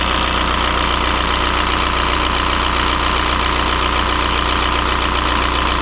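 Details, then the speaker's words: 2003 VW Jetta TDI 1.9 ALH diesel just after fitting an 11mm Bosch VE pump, air likely out of the lines: even, steady idle clatter with a regular beat and no stumbles; normal idle. "well it's settled into a decent idle pretty quick i think the air is out of the lines now"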